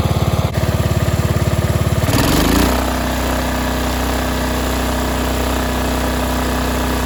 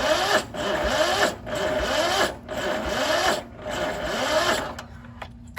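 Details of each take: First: Cub Cadet 2146 lawn tractor, 14 hp single-cylinder Linamar engine, sat unused 3 years, choke frozen: cranks briefly, catches at full throttle and settles into a steady, even single-cylinder beat with no misses or knocks; normal running. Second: Cub Cadet 2146 lawn tractor, 14 hp Linamar single-cylinder, unused for 3 years, frozen choke: the starter labors at about one heavy beat per second, dragging and sagging before quitting; slow cranking from a weak battery.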